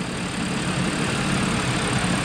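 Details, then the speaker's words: Audi A6 after repair, cold engine idling: smooth even low rumble with no misses, knocks or surges, no vibration, fan no longer running wildly; normal cold idle. "No vibration at all. The fan has stopped moving like crazy. And this is a cold engine and it runs so good."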